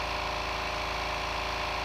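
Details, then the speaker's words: New 1 hp compressor, 8-gallon steel tank, first fill, tank passing 95 to 105 psi: steady even motor drone with fast regular pump chug, no knocks or squeals; filling the tank normally and quickly. "this will work out perfectly and we're already up to 95 just over a hundred actually now 105 since filling up pretty quick for a one-horsepower into an 8 gallon tank"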